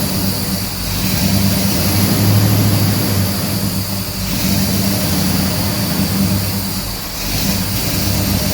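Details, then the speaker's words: 1969 Pontiac GTO V8 with MSD Atomic EFI after throttle body blade adjustment (idle previously swung 200–1400 rpm, IAC erratic): even, steady deep rumble with no stumble or hunting; normal idle. "well there you go we've got our idling good"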